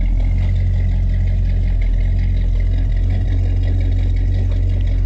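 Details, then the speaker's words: 1987 El Camino SS V8 idling: deep steady burble with an even low-end rumble, no knocks or misses; normal healthy idle. "It's all although it's been many years, but you tell she sounds good."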